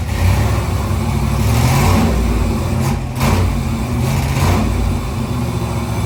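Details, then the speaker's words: Fuel-injected big-block 1970 Nova, first start after conversion: an uneven V8 rumble that sags twice and hesitates on throttle before picking up. It has a lean spot. "all right so we got it fired up it fired right up it didn't give us too much trouble uh so that's a good sign but it's struggling a little bit to take throttle uh it's got a little lean spot in it so we're going to work on that for a minute"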